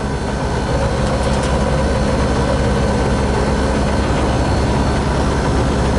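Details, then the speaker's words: Newly installed Lennox KGB furnace, door off, blower running: heavy constant hum with a coarse buzzing rattle from a blower wheel with a flat spot, only partly straightened and awaiting replacement, shaking the cabinet. "So, let me see if I can get this door off and show you guys kind of what that rattle sounds like with the uh the door off and how bad it actually is."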